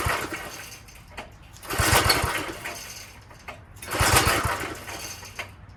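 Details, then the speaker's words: Old Craftsman tiller, small single-cylinder engine on choke; two slow rope pulls about two seconds apart spin it but it never fires, fuel-starved because the carb bowl, fed by a long pickup straw, is empty. "So there's a long straw that goes all the way to the bottom that sucks up the gas into this little bowl that's underneath there. If that bowl doesn't have any gas in it, it's not going to start."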